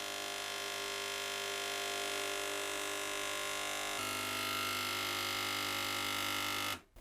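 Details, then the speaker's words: Gaggia Cubika espresso machine: loud, steady, high pump buzz with no gurgle or water sound; pressing the steam button gives nothing, so the pump runs without water flow through a blocked path. "Makes an awful lot of noise. Let's press the steamy thing. It's gone red. I don't know. This makes a lot of noise. There's nothing coming out of there, you see, so I don't feel like I'm any further forward here."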